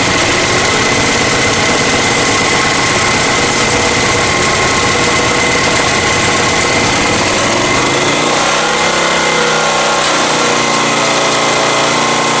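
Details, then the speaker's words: Honda EX1000 generator after carburetor cleaning, choke fully off: steady, even engine note with no hunting or surging, settling after about eight seconds and running cleanly. "Moving just like I wanted to. The choke is completely off right now."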